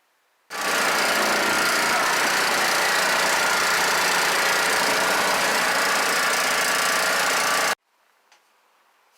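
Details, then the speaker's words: 5 hp Honda small engine taken off an air compressor, for a mini bike swap replacing a smoking Briggs & Stratton, has compression: starts abruptly and holds a steady, even roar for about seven seconds before cutting off; runs smoothly. "it does run what's what's first of all let's hear it run gas on it's got the compression"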